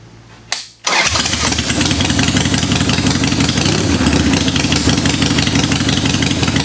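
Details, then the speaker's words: 1990 Harley-Davidson 883 EVO Sportster, fresh Harley intake manifold, Keihin CV carburetor and Ultima single-fire ignition, cold start on choke after priming with little fuel: fires and settles into an even potato-potato twin idle; normal start. "How about that? Sounds like it's working just fine. Sound good to you?"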